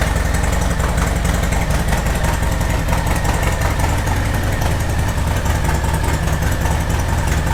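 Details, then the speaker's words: Harley-Davidson Sport Glide V-twin started while stationary after a hose-down: deep, loping, steady idle with no knocks or misses; sounds good, normal idle. "I'm gonna go start the bike up. One, for my own enjoyment of hearing that engine, and two, just to get that engine rotating a little bit whilst it's stationary. Oh, she sounds good."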